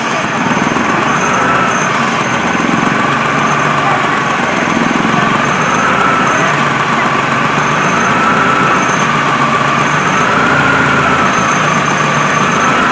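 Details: 1998 BMW E46 318 with 1.9 M43 petrol engine: steady idle with an uneven, loping beat and a faint wavering tone; intermittent rough idle that worsened after alternator work, cause unknown.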